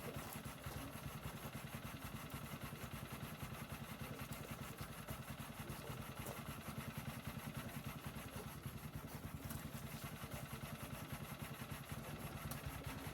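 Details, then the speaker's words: New MaxAir gas-powered air compressor, small petrol engine idling after cycling down at 150 PSI: steady, even low chugging with no knocks or surges; normal unloaded idle. "You just saw it cycle down there, so it's idling now because it's at the 150 mark of PSI there, as you can see there in the camera there."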